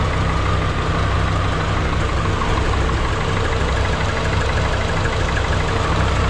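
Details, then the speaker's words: 2003 Subaru Forester engine just swapped in, first start with no coolant: loud low idle with an uneven, lumpy pulse and tapping over it; runs rough, owner attributes it to the check engine light issue. "it didn't sound like it was running the best but that's because that check engine light and that"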